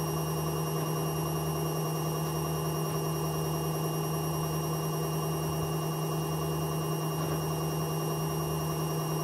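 A loud, steady droning roar with a low hum that throbs about twice a second: worn drum bearings.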